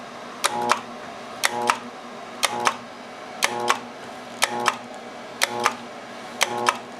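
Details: Armstrong FM-20000T2 blower with a 3-phase motor, previously working, won't start after 3 weeks awaiting a new tube: a sharp clack, a brief hum, then another clack each second as the start keeps retrying without spin-up. Phases are balanced within 1V, and the breaker eventually trips.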